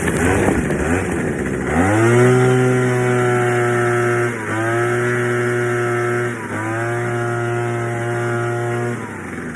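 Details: Troy-Bilt Jet Technology two-stroke blower after carb clean, new fuel lines, gas leak addressed, tune-up: picks up cleanly, steady run, dips briefly twice and recovers; owner says tank slop may still affect running.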